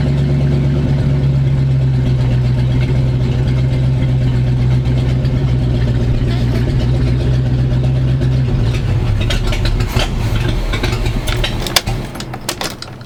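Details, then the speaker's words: 1985 Square body 454 big block V8, 4-speed, started after sitting 20 years, vacuum lines replaced: lumpy rumble holds only with a bit of throttle then sags and falters; owner suspects choke or carburetor needs rebuilding, not confirmed. "come on if I give it a little gas it'll stay running"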